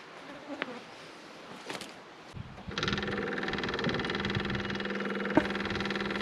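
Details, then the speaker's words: Skid steer with water in its fuel tank, after fuel filter change: at key-on the little electric lift pump gives a steady buzz while filling the new filter, running normally. "turn the key on and let the little pump fill it up this is what it says to do you don't have to fill it up anymore before you put the bow on there"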